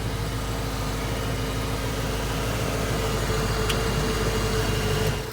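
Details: 1990 Ford Mustang, previously crank no start, idling after base timing is set: steady, even idle with a smooth low hum and no knocks or misses; engine sounds healthy.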